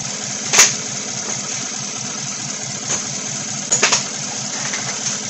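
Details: 2016 Chevy Silverado 1500 with 5.3 V8 and code P0300, idle with a stumbling beat and a regular miss: cylinder 7 still misfiring, none on cylinder 3, coil ruled out, 7 has spark but doesn't fire.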